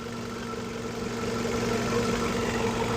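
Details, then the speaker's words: 2011 Ford Focus 2.0L four-cylinder, idling while warming up during thermostat replacement (engine wasn't reaching temperature, idle problems when warm): smooth even idle, no tings, knocks or ticks; healthy. "And you know, as you can hear, she runs very smooth. There's no tings or knocks or ticks or nothing like that."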